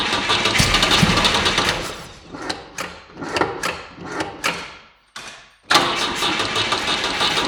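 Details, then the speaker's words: Volvo 145 after fitting a new fuel pump, carburetor engine: long cranking with rhythmic chugs that won't catch, a pause, then it fires and settles; hard starting, a recurring issue with these carburetors after sitting; later runs lean at idle. "as you saw i had a small difficulties to started the engine i have had the same kind of problem with these carburetors before so after a small break it's a little bit difficult to start even with the brake cleaner"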